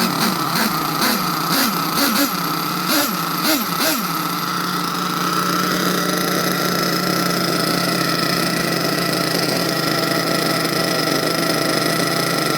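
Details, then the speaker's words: HPI Savage XL twin nitro monster truck, two brand-new nitro engines being broken in: a few rising blips at start-up, then one smooth steady buzz with no beating, showing both motors in sync; low-speed needles not yet adjusted. "Well guys, as you can hear, that's how it sounds when two motors is in sync."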